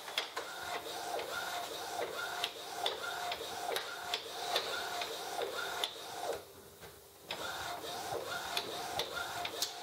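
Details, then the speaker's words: Inkjet printer (Epson Expression XP-202/XP-205) fitted with a continuous ink system, running a print job; carriage shuttles with sharp, regular tapping about twice a second from the loose ink tubing. "so that is how it runs though you will hear you will hear that that tapping noise and a lot of tapping"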